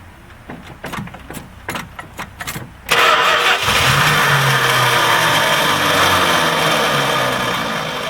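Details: Edelbrock-carbureted engine that sat a long time on E10 ethanol fuel: choppy cranking about 2.5 beats per second, then a lumpy, uneven idle. The primary circuit is clogged, with ethanol deposits in the air bleeds suspected, before cleaning.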